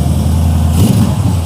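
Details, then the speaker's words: 1956 Chevy V8 just fitted with a new FST carburetor, first test run, idles fast and steady with a deep low rumble, a high idle that will be lowered; no leaks seen, then a vacuum leak was suspected. "oh that's it's got a high idle but we can lower that down"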